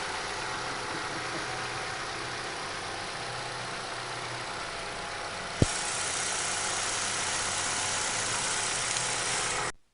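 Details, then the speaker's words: Chevrolet after repair of knock near throttle body, traced to intake manifold flap rod/retainer, manifold removed and parts replaced (about 5 hours): steady, even idle, no knock or tick, one brief click; normal idle. "машина починили все нормально на все ушло в среднем 5 часов"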